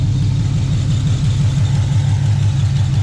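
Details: Chevelle V8 warming up after a cold start following long storage and a transmission leak repair: deep, even loping idle with no knocks or ticks; healthy, transmission still dry so far.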